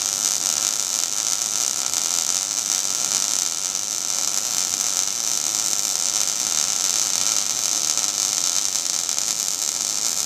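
Steady, even frying hiss with no popping or sputtering gaps throughout; a stable, well-set MIG arc laying a good weld.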